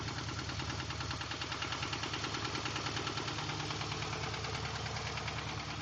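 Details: 2003 Ford Crown Victoria V8 idling: steady deep rod knock, about three a second, from oil starvation after timing chain guide pieces clogged the oil pickup during a WOT run following the J-mod; gone after cleaning the pan and new oil.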